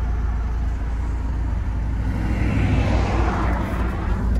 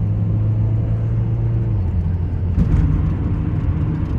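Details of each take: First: Audi A4 2.0T TFSI direct-injected engine, stage two with factory K03 turbo, running on 5 quarts of used Mobil 1 synthetic oil added to the fuel (about 16:1). First neutral rev to check for cutting out: smooth, steady rev with no stumble. Normal. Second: Audi A4 2.0 TFSI direct-injected, driving with five quarts of used 5W-40 oil in the fuel: deep, uneven rumble, engine note stumbling and wavering; rough running and misfires from oil-contaminated fuel.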